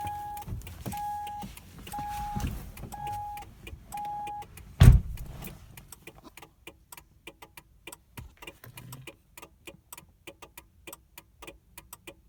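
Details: 2000 Mercury Cougar, won't crank after a battery replacement: a door chime, then sharp dry clicks about twice a second and no cranking. PATS immobilizer fault, fixed by putting a new battery in the key fob and pressing lock/unlock.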